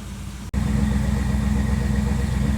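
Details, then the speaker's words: 1957 Chevrolet Bel Air V8 after a Seafoam top engine cleaner soak, restarted with blue smoke still burning off: after a brief dropout it settles into an even, steady idle with no stumble; the earlier severe misfire sounds gone. "Sounds like it's gone."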